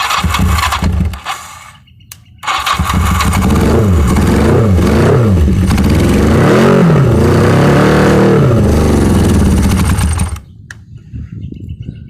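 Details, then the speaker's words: 1982 Yamaha 550 motorcycle, not run in about four years, after mild carb cleaning and wiring rework, first day: fires up and revs smoothly up and down several times, dropping back cleanly; normal start and revving. "my 1982 Yamaha 550 first day working on it got it to start"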